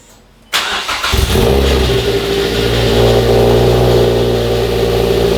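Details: First start of a Mazda NC Miata 2.5 engine swap after clogged, gummed 2.5 injectors caused a no-start. It catches almost instantly, then runs smooth and even and revs cleanly. Healthy.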